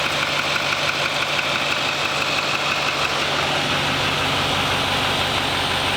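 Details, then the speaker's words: 2021 Chevrolet Silverado 2500 Duramax diesel, first start after a faulty radiator was replaced and about 5 gallons of coolant added, with no leaks seen: steady, even diesel clatter at idle with no knocks, squeals or misses; normal idle. "Got it running. Looking around, making sure nothing's leaking. Every sound I'm listening to."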